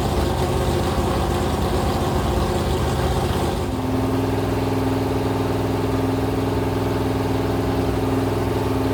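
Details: Rebuilt 426 Gen 2 Hemi crate engine (new heads, intake, pistons) on a run stand, flat-tappet cam break-in, 50 psi oil pressure, warming to about 210°F: settles from a rough blip into steady even fast idle, no knocks; cam broke in without failure.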